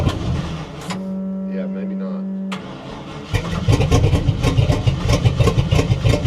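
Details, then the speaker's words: 1960 Chevy Biscayne being diagnosed, pumping the throttle while cranking: long crank then a rough, barely catching stumble with a poof, seemingly too much gas; plenty of fuel pressure, hard start and rough running. "now pump pump pump up Matt it's ain't going to run this is this is sounds worse than a motor home with no motor or [Music] home like that too much gas you hear a poof"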